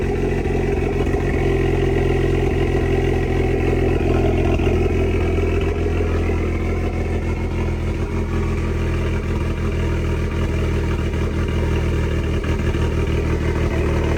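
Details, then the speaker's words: Cammed engine just fired up after rear end work, with a new straight-pipe exhaust: loud, steady lumpy idle with choppy cam rhythm and open exhaust bark, no knocks or ticks; healthy normal cammed idle. "Sounds so much better with that exhaust. It's just a straight plate."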